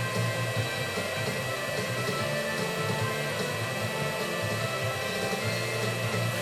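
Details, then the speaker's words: Sammy Atomiswave arcade board after repair and a 3.5mm stereo audio jack mod: a steady, fairly loud airy whir with a faint hum from the small cooling fan. The owner may oil the fan's bearings; the cause is unconfirmed. "It's just a shame that fan's a bit loud. I might take it back to pieces and oil the bearings on that fan maybe."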